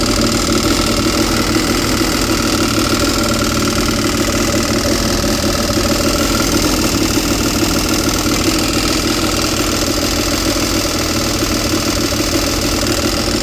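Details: Yamaha GP800XL personal watercraft, bought as a non-runner, now running on fresh fuel: steady rough idle with a fast metallic rattle that clears with a little throttle then returns; owner suspects the rad or an engine mount, unconfirmed.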